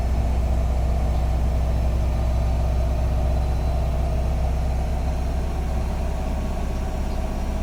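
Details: Bosch WAT2846SIN 8 kg washing machine during the spin cycle, reaching a maximum of 74 dB: deep, steady rumble at an even level throughout, with no knocks or scraping; normal spin.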